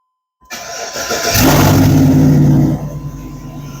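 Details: Engine start after a newly arrived fuel pump was installed and the fuel pump relay connected; steady high hum of pump priming, then the engine cranks, fires and revs cleanly before settling. Normal start.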